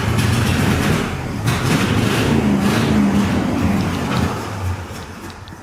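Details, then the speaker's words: 1972 International 1110 truck, carburetor on battery-powered fuel pump: uneven, lumpy running that surges and sags then dies; carb flooded, fuel pouring out of the needle and seat, which is set way too high. "Yep, it sure is. Right out of the needle and seat. Oh no, it is so flooded. Needles and seat's way too high."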